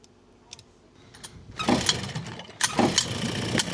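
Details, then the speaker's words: Vintage outboard motor on a free abandoned boat, run in 100-degree heat after a last-ditch needle fix: it catches and runs ragged with irregular pops and stumbles; first thought to be backfiring, now clearly worse. Engine misfire. "This thing is now misfiring, which I thought it was just backfiring at first, but now it's way worse."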